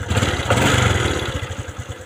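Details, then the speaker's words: Honda Supra X 125 FI single-cylinder engine after fixing lost compression (manual reset); one kick, quick even putter, starts at once and idles cleanly; normal start and idle. "Nah, cukup tendang sekali dan langsung menyala, kawan-kawan."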